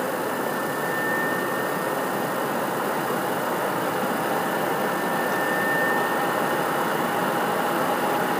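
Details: PS4 CUH-1216A (C-chassis) running Witcher 3 digital, horizontal on media center 15 cm from back wall, peak about 63 dB: loud steady rushing whoosh, faint high whistle, no ticking or grinding; very loud fan under load.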